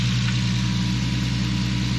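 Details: Infiniti G37 with VQ37 V6, idling after new knock sensors and sub harness: steady, even idle with a smooth low rumble, no knocks or ticks; owner says the exhaust is sounding good. Normal idle.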